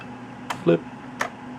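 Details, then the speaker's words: Bondwell B310 286 laptop after 10–15 years on a shelf: two sharp isolated clicks as the hard drive fails to spin up, suspected insufficient power rather than a faulty drive; apparently a power supply problem. "nothing it clicks you can hear the hard drive clicking I don't think the hard drives is at fault I think it's just not it doesn't have enough power to turn him on"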